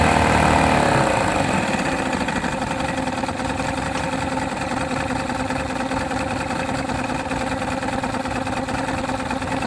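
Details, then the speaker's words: 1971 Mercury 500 outboard that suddenly barely ran after adding fresh gas: rough, uneven chugging after a loud start, clearly down on power, running on only 2 cylinders though reasonably smooth; cause unknown. "It was definitely only running on 2 cylinders for sure. I mean, it was reasonably smooth when it ran."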